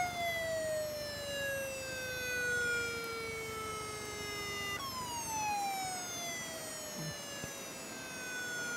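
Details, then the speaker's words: Very old laptop hard drive powered on: a thin whistling tone slides steadily downward, jumps back up and falls again over quiet hiss; the drive makes strange noises and struggles to spin up. "Hey Leute, ich habe jetzt hier eine Laptop-Festplatte und die macht komische Geräusche."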